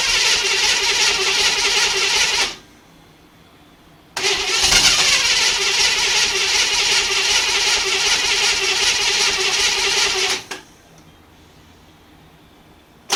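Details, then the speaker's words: 1955 Chevy 210 Delray, 265 V8, first start in who knows how long: it runs a few seconds, cuts out, refires and stumbles before dying. Fuel starvation at the carburetor float bowl, which the owner thinks isn't filling. "I just don't think it's I don't think that hole is filling up properly."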